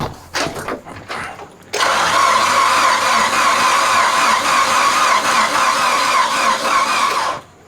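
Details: Forklift that ran fine when parked: fast, light, uniform cranking about four beats a second with no firing or catch; sounds like no compression, owner suspects jumped timing chain, unconfirmed.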